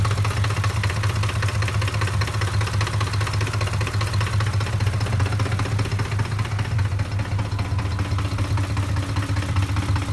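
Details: 2007 Ford F-150 5.4 V8 with random rough idle: deep idle lopes unevenly with irregular stumbles and faint knocking; fixed by replacing the cam phasers and VCT solenoids.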